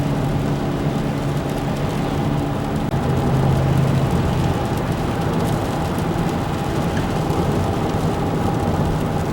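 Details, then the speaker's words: Car driven slowly then speeding up: low droning hum under road noise swelling with speed from the front; worn front wheel hub bearing, passenger hub found grinding with flat spots and both hubs replaced. "So I got a noise in the front of the car. I'm pretty sure it's a hub."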